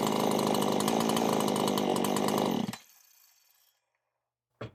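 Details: Husqvarna chainsaw after an oiler mod with a new oil pump, idling to check the oil flow: it holds an even, steady buzzing idle for a few seconds before being shut off, running smooth and healthy.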